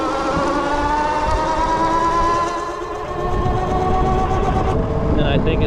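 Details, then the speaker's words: BBSHD e-bike mid-drive motor with Flipsky 75100 Pro V2 controller, given throttle in first gear, holds a steady high whine at one pitch; motor at maximum RPM, needs an upshift. "just like I just can't possibly spin any faster is what that is so then you got to shift it"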